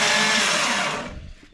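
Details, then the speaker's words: Freshly assembled Nissan RB engine for a VR Commodore swap, cranked by starter via trigger wire: steady fast whirring crank with no compression pulses, winding down smoothly; spins freely, oil pressure good. "we have got the uh starter motor wi in um and then just got a trigger wire going to it just to crank it"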